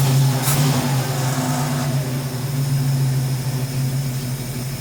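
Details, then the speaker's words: 1971 Ford Mustang Sportsroof (351 per tags), revived after 14 years, no coolant in it: brief blip, then steady even low V8 idle, no knocks or misses; owner notes a little blow-by, normal idle. "That sounds pretty good. I'm impressed."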